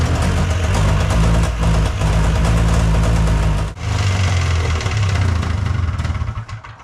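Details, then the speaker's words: Old two-stroke snowmachine with a new battery and fuel filter, started without priming: it runs boggy and burbles low and uneven, dipping hard then sagging. The idle screw needs adjusting; unstable idle. "yeah but the idle's not working but it's it's really just [Music] okay so this idle screw affects how aggressively it idles and when your carburetor gets dirty you can compensate for it by opening"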